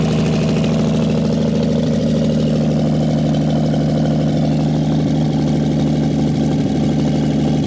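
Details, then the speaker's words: 1959 Chevy Biscayne carbureted engine, running after years sitting in a junkyard, idle screw backed out and carburetor leaking at the bottom: steady, even low rumble with no knocks or misses; normal idle. "all right I would say that runs pretty good"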